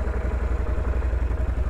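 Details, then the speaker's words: Can-Am Renegade XC 1000 ATV started after sitting seven months, warming up: even, steady low thumping idle with no knocks, misses or hunting; normal, quiet idle. "nice and quiet"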